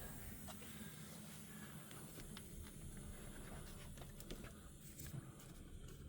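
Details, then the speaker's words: MK3 Golf Cabriolet 2.0 after an overheat from a cut belt, just after fitting and tensioning the new belt: with the engine shut off, a faint steady hiss under a few light ticks, then gone; source unknown. "What is that? Something's hissing. I don't like it. What is that hissing noise? It's gone now."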